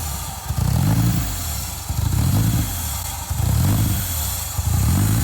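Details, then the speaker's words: 1970 VW Type 2 Westfalia bus with swapped Toyota Tacoma 3RZ engine, factory ECU, new short exhaust, first firing: surging lumpy running that never settles; runnability issues blamed on unsorted wiring and no cooling system yet. "got some runnability issues because the wiring isn't sorted and we have no cooling system, but it sounds so much better than it did before."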